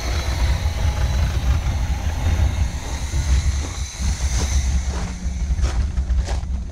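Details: 1971 Chevy K10 4x4 pickup, small-block 350 V8, just restarted after sitting 10 years, choke on, smoking, fuel leaking: steady idle, no ticking or clatter; valvetrain quiet and healthy.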